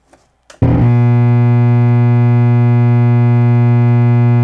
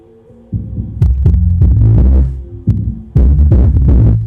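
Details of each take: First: JBL PSW-D110 subwoofer powered on with nothing connected, drawing about 1.5 A, around 65 W: loud, deep, steady hum until switch-off, caused by a defective main filter capacitor; all main electrolytics replaced. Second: JBL PSW-D110 subwoofer after replacing defective main filter capacitor and other capacitors, playing music from MP3 player; deep clean bass thumps, no hum or buzz between them. Normal bass output, repaired.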